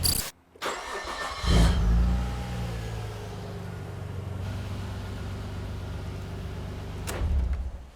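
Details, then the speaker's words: 1998 Nissan R34 Skyline GTR with IACV connector unplugged after IACV cleaning, before TPS replacement: catches with short rev, settles to lower, slightly uneven deep idle; improved but base idle not perfect, new IACV gaskets planned. "all right again that was lower so it's definitely improved but it's not perfect"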